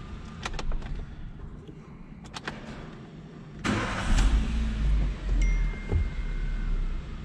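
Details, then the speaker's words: 2021 Chevrolet Beat/Spark that previously would not start, after fuel pump replacement; keys and handling noise, engine starts immediately and settles into a steady, even low idle with no misses, totally stable: normal idle. "totalmente estable la unidad con fuerza el encendido se oye perfectamente esta unidad Ya está lista"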